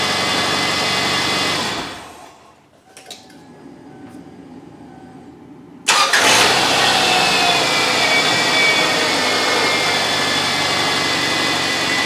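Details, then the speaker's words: 2002 Subaru Outback after fuel pump replacement: quiet pause, then the engine catches at once and settles into an even, steady idle with no stumble. It had stranded the owner; a faulty fuel pump was the cause, now fixed. "so there you guys have it the subaru was fixed it was a faulty fuel pump"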